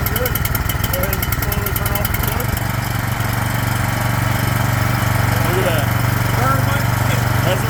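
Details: Craftsman snowblower small engine that sat two years with fuel, after carburetor cleaning and a fuel shutoff valve fitted: settles into an even, steady chug with no misses or surging; runs normally.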